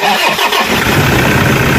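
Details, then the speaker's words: Toyota Innova after replacing idler bearing, alternator pulley and drive belt (engine had been droning): engine starts and settles into smooth, steady run with no hum or whir from belt side; noise gone, normal idle. "Ayos na. Wala ng tunog. Tahimik na."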